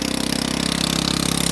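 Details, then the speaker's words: Honda Ruckus scooter on a fabricated rear frame, first test ride: a fast, even single-cylinder putter at idle, steady with no dips. Idle is high enough to creep forward unless the brake is held. "You have to hold the brake because it's just enough idle that it's going to go."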